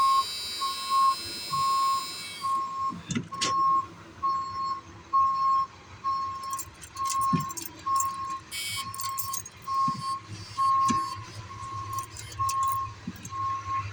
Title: full batt won't start